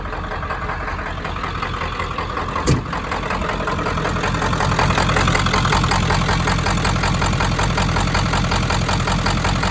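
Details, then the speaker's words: 1995 Ford F350 7.3 Powerstroke diesel, running after 10 years, idles shaky and knocky with a steady knock and uneven miss-like beat; owner suspects injectors or non-working glow plugs, unconfirmed. "Little shaky, little noisy at idle, like it's got a bit of a miss."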